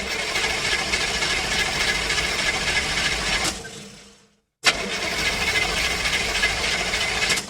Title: Car Engine Fail - Cranks No Start